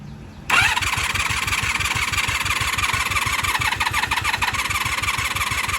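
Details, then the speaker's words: 1996 Honda Magna 750 VF750CD with choke on, cranking: fast even chug for several seconds, never fires or catches; air box and air filter later found not installed; cranks but no start, cause suspected, not confirmed. "Let's start cranking. Trying. Trying, but not firing. She's trying. You can hear it."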